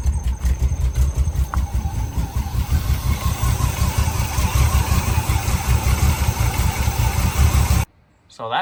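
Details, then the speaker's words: 1982 K10 V8 running on a $20 junkyard Holley 600 CFM vacuum-secondary carburetor, just blown out and roughly tuned; deep steady fast-idle burble with no misses or stumbles, then shut off; mixture sounds properly set, running well. "actually got it somewhat dialed and it it's pretty good yeah it's pretty good"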